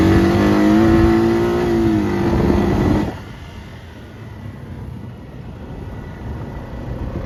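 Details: 2021 Honda Rubicon 520 DCT (TRX520FA6) ATV after a valve adjustment: strong rising rev for three seconds, then it drops back to a quiet, even run with no tapping; valvetrain sounds healthy, normal running.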